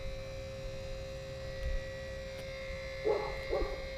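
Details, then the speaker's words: 2018 Ram 6.7 Cummins after fuel filter change, key cycled to run for the third priming: steady, even electric hum at a fixed mid pitch as the in-tank lift pump primes; normal fuel lift pump priming. "you guys can hear that that is currently the lift pump and it has shut down and that is the third time we have done it"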